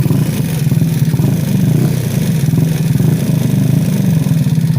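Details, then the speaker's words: Ice Bear Mini Max 50cc Grom clone with extended frame and big bore kit, idling before a ride: small single-cylinder thumps with light clicking over exhaust pulses. Owner suspects rocker arms; the clicking predates the big bore kit. "there is some clicking going on, obviously, but yeah, it's all good though. But yeah. But yeah, it's yeah, I gotta take care of that click, and I'm pretty sure that's the fucking the rocker arms or whatever the fuck they're called in there."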